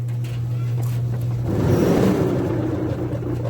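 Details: Dryer running: a steady low hum gives way to a loud, rough rumble from the turning drum, an abnormal noise.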